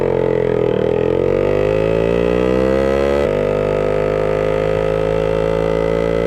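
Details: 1966 Suzuki Bearcat 120cc two-stroke, revived after sitting dormant, just started with an easy kick: steady, crisp buzz that swells and settles smoothly with small throttle changes, no knocks or misses; runs healthy, though a leak is still being sought.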